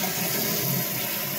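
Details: Toilet after flush valve and flapper repair, float adjusted to match the old water level: steady hiss of water rushing into the tank with no sputter or hammering; fill valve refilling normally.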